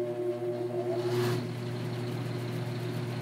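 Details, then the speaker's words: Old Luxaire restaurant air handler with bad compressors, moldy cabinet, failed heat strips, poor wiring: constant low motor hum and steady airy blower rush, loud enough to hear across the restaurant; needs replacing. "you can also see how loud it is and you can hear that pretty much from the other side of the restaurant so it's definitely going to have to be replaced"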